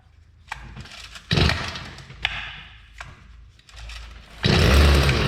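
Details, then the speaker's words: Old Stihl tiller two-stroke engine, unrun for years, being revived with fresh fuel, confirmed spark, choke on and primer bulb pushed: several short pull attempts with brief sputters, then it catches and runs steadily at a high buzz; starts fine. "that you got to be kidding me did you hear that that hadn't run for years it took right off wow I wonder if we can keep it running"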